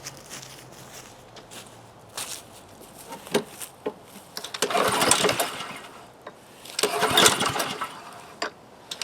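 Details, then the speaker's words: Husqvarna HU800AWD lawnmower with Honda GCV190 and automatic choke, with gas, oil and fuel valve open: ten pull-cord attempts give brief cranking bursts but it never catches. No-start; owner suspects the carburetor and will check the choke plate. "well 10 pulls on but I think it might be time time to uh take down the uh carburetor and peer in there make sure everything is happy inside there"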